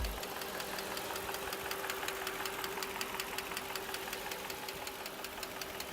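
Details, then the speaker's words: 1997 Mercedes M119 V8 at idle: sharp, light steady ticking about 160 a minute; brittle plastic oil-tube end caps break off, losing oil pressure to the top of the engine, starving the cams so the valvetrain ticks; cams undamaged after years. "they will break off and then you lose the pressure that's going to the top of the engine here and it uh causes a lack of lubrication and a ticking noise"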